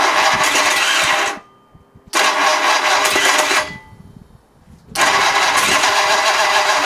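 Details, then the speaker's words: Ford 8BA flathead race engine on a run stand with a new distributor, cranking in roughly one-second bursts separated by pauses, never catching or firing; no spark found, cause not yet located, ignition timing and firing order being questioned. "Okay so we're not getting sparked for some reason um I can't seem to find a problem with the with anything"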